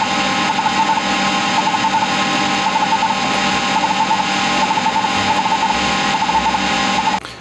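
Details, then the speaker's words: Seagate 20MB hard drive in a Sanyo MBC-16 Plus copying files: busy, even head-seek chatter over constant spindle whir, no scraping or repeated clunks; normal hard drive seek noise. "And I'm just going to let you listen to that sweet sound of hard drive doing its thing, copying files. I just love the sound of this drive when it's working."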